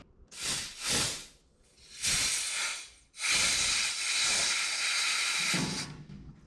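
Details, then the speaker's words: About 1978 Ford F250 crew cab, long-stored truck: air pressure blown into the fuel tank pickup line gives bursts of hiss, then a steady rush as the clog pops free and fuel flows. Clogged pickup line cleared. "Did y'all hear it? It was clogged. I put enough air pressure to it, I heard it pop."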